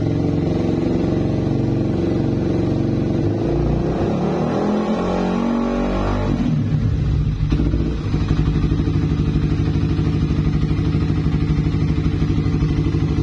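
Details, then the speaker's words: Suzuki Satria FU after adjusting and tightening the noisy cam chain: small throttle blips, then a steady, even idle with no tick-tick rattle from the cam chain; adjustment judged sufficient, normal running. "dan ternyata gak ada ya berarti ini setelan Udah cukuplah"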